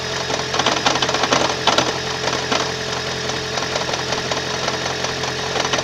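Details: 2012 Toyota Prius 1.8 hybrid petrol engine at 32,000 km: irregular knocking rattles over a rough, vibrating engine note; cause not identified.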